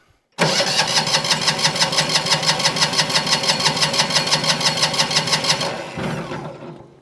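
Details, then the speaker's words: Single-cylinder diesel on a Winget mixer, stood a couple of years: steady cranking chuff about three per second for five seconds, now smoking but never firing. Cranks but won't start; a compression problem is suspected. "Uh, let's give it a couple of cranks and see what happens then. Is it? We got smoke now, which we didn't have before. Smoke, but no fire."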